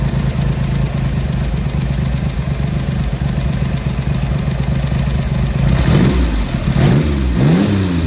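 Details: Triumph Hurricane X75 with rebuilt carbs, pilot screws richened slightly and left-hand carb adjustment corrected, not fully warm: steady, fairly even idle with low throb, then quick clean blips rising and falling smoothly; slight dark smoke off idle, rich; normal idle.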